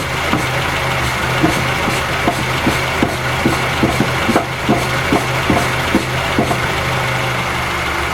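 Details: Raceland coilover strut failed and clunks: sharp, hollow knocks about twice a second over a steady low hum; a replacement strut fixed it.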